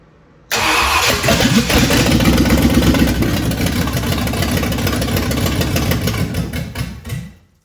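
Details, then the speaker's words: 1965 Ford Thunderbird Ford FE 390, first start attempts after distributor reinstall: catches and runs roughly about six seconds with uneven firing, then dies; ignition timing out of adjustment, fuel delivery also suspected. "and maybe it's not keeping the fuel going to it that could be a problem too that's the longest it's run so far that's good but I'm out of adjustment on my timing basically so which is weird"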